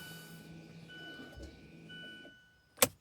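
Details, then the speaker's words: 2017 Mazda 3 leaving brake maintenance mode after new rear rotors and pads (ignition on, accelerator floored, switch pulled up and pressed three times): steady high motor whine about two seconds, ending in a click; rear parking brake winding in normally. "Now I'm going to pull up on this and then hit this 3 times. Now you can hear it winding back in."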